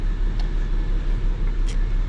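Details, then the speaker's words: 2004 BMW 325xi automatic, 17 years old: deep, uneven idle with a stumble in its rhythm; the scanner shows misfire codes for cylinders six and two, before repair. "misfire cylinder six and missile cylinder two let's see we can go into data and we can see what ones are actually misfiring right now"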